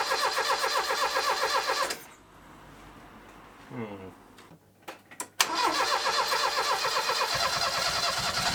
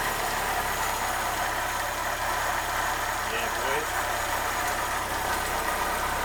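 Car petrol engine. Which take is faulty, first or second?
first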